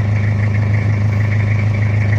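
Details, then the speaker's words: Toyota Kijang diesel after repair of cracked engine block at the oil passage behind the injection pump, warm with temperature normal, exhaust smoke clean: smooth, even idle with steady low throb, no knocks or misses; engine quieter once warm; normal idle. "Oke ini udah selesai suaranya agak adem kalau udah agak panas"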